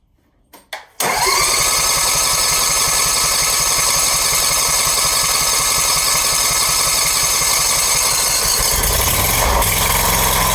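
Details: First start of a brand-new Briggs & Stratton engine installed on a Scag mower, oil just filled, choke on: a couple of short pulls, catches within a second and settles into a steady, even run without misses; normal start and idle.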